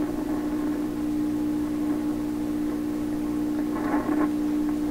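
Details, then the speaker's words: 1928 RCA Victor Model 28V radio during 60 Hz hum troubleshooting, tubes being pulled and freeze spray used: steady low hum with a faint station swelling and fading with it; hum varies with signal, cause uncertain, unshielded wiring suspected. "I think I can also hear some radio noise, sometimes coming through very quietly and then other times. But as the hum goes up and down, the radio signal goes up and down."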